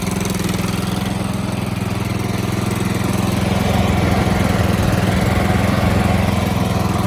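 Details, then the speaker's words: Toro Z4200 TimeCutter 54" zero-turn mower, flooded in Hurricane Irma and parked about 2 years, revived with fresh fuel and a battery: a steady, even engine drone with no misses or knocks; running normally. "There you have it, she's running."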